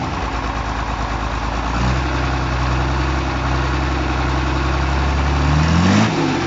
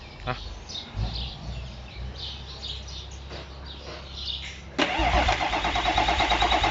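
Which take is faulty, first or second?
second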